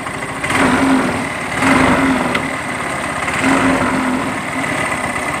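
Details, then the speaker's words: Yamaha Mio M3 125 scooter blipped three times: rough "tek tek" ticking rattle from the CVT case and engine, with cooling fan area also audible, caused by running without CVT grease. "Di bagian bak CVT-nya di sini, ya, bunyi tek tek tek tek juga, ya. Oke, dari bak mesin sudah kedengaran."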